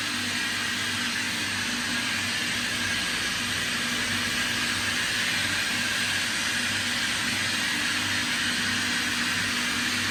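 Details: 2005 Kaeser SK 21 11 kW screw air compressor, 15,239 total hours (about 5,000 under load), fully serviced: steady even roar with constant hum and high airy hiss, no knocks or rattles; normal running.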